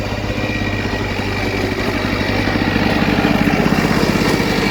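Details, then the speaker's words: 1979 Lawn-Boy two-stroke mower, unused 20+ years, revived by priming the carburetor, now cutting grass. Crisp, steady buzzing under load, even firing, no misses: normal running under load. "foreign excellent thumbs up easily the most fun lawnmower I've ever used"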